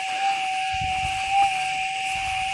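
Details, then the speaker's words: Gold metal detector set stable (RX gain 10, stabilizer 8): thin steady threshold tone holds clean with two short soft swells from a small target, now distinguishable without chatter. "hear that it's just enough to without that instability and a lot of chatter now we can pick that noise out"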